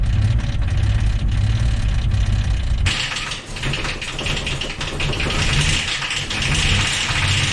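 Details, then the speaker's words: Jeep XJ bought for $200, one year of ownership: lumpy, uneven idle then a harsh, ragged rev with irregular thumping; one cylinder is not like the others, destroyed, running on five. "it's time to test the tensile strength of everything i forgot to disconnect and one of these cylinders is not like the other"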